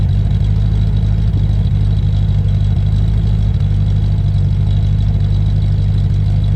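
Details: Land Rover Discovery 1 3.9 V8, first start after about 18 months sitting, oil pump primed: deep, loud, throbbing idle with heavy low rumble; loud because the centre silencer is missing.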